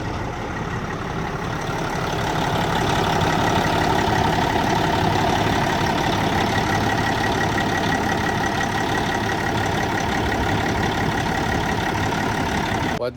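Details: Caterpillar diesel truck engine after owner replaced the water pump and coolant diverter valve (IVA delete) and repainted it: steady, even idle with a smooth low rumble, no knocks or squeals, running healthy.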